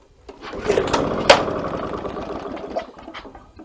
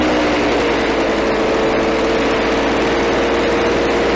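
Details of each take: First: Victa Power Torque VE40 two-stroke mower, fuel flowing, new spark plug, good compression, primed: fires in a ragged burst of pops then quits within seconds; starts and stops straight away. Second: Victa Power Torque VE40 two-stroke mower after replacing carburettor main jet (engine was flooded at first): steady high buzzing run, even note, no misses or surging; running normally.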